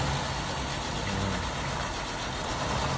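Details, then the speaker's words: Vehicle fired on a jump box and idling: even, steady low drone with no knocks or ticks; moved back and forward and sounds pretty good, with a little exhaust smoke noted. "is able to back it up and now I come back forward all right sounds pretty good on this one folks"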